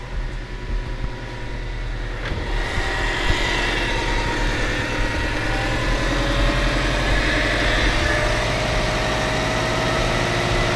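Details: Subaru STI just after an engine install, first start after two swapped parts were corrected: quick crank and catch, then a smooth, steady warm-up idle with no stumbles or knocks; running right.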